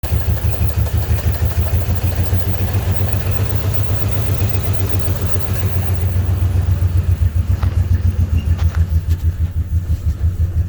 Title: 03 5.7 hemi no misfire no codes runs rough and rich